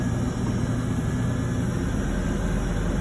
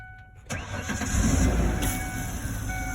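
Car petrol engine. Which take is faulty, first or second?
second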